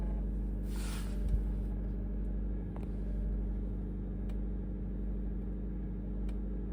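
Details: 2024 Honda CR-V Hybrid cold start: low steady rumble with faint sparse metallic ticks every second or two; rattle persists after injector and spark plug replacements, dealer calls it normal with no error codes.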